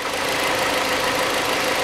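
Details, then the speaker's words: Hyundai Accent 2006, 1.6 petrol, manual, after a new AMD ignition coil was fitted to cure the misfire. Even, steady idle with no stumble, shake or missed beats, firing cleanly on all cylinders. Normal idle. "поставил провода и завел все автомобиль поменялся до этого"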